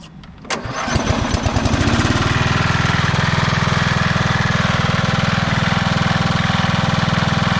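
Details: 1991 MTD 12/38 lawn tractor single-cylinder engine after restoration. It catches after a few cranks and settles into a steady, even run with clean firing and no knocks. Normal running.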